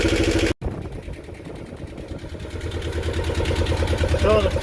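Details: Unidentified roughly 40-year-old marine diesel in a Snapdragon 24 boat settles into an even, steady chug of about three beats a second with no misses or knocks; running healthy.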